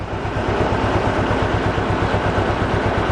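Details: Mercedes 190E 2.0 M102, sat unused for over 3 years: idle thumps unevenly at about three lumpy pulses a second. This is a rough idle; cause suspected, not confirmed.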